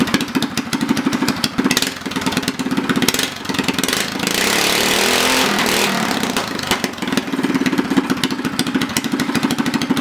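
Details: Homemade go-kart with a governor-removed Predator 212cc single-cylinder engine after swapping to heavier Honda 18lb valve springs: quick, even beat that swells cleanly through a short rev and settles back; runs good.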